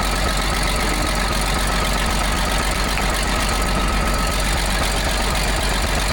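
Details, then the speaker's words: Allis-Chalmers 645B loader diesel, after freeing and lubricating the seized plunger. It fires up to a steady, even clatter at idle with no misses on any cylinder: a healthy, normal diesel idle. "Sounds like it runs pretty good."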